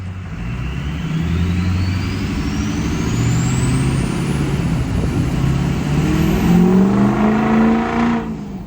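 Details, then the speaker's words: 2006 Ford F-350 6.0 diesel after up-pipe install and turbo rebuild with a 10-blade instead of 13-blade wheel, heard inside the cab on a takeoff: engine roar builds with a clean whistle rising with boost; smooth, healthy spool, noticeably different. "I don't know if you can really hear that inside here. It is pretty loud, but we'll do an outside shot."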